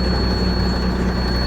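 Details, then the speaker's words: Military 5-ton 6x6 truck, diesel at steady idle: thin constant high squeal from under the hood over the rumble, belt conditioner did not help, belt to be replaced; serpentine belt squeal. "While this thing's running, you can probably hear some squeaking coming from underneath the hood. And what that is a squeaky serpentine belt."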